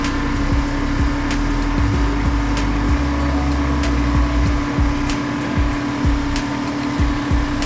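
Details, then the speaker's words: 1989 Chevrolet R3500 dually, R134a retrofit, engine held at 1500 rpm while charging first can: loud steady drone with faint ticks; compressor loud, later relief valve vented oil. "That compressor's loud. That's one can."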